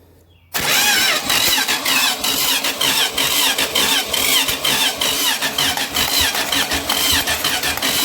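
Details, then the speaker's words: Junkyard-sourced 1977 Dodge RV 360 V8 being test-started out of the vehicle on the ground: steady starter cranking with rhythmic compression pulses but it never fires. Owner suspects not enough fuel and plans to pour gas down the carb. Cranks, no start. "well maybe we ain't got enough fuel in the old beast so i'll try that i'll pour a little gas down its throat"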